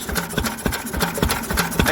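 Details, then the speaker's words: Old Lister stationary engine with magneto drive, after magneto chain adjustment, first run to temperature in about 40 years: slow, even single-cylinder thump about four beats a second with light valve clatter, no misses; healthy smooth running. "yep that sound an absolute treat and i love it all little exposed valves"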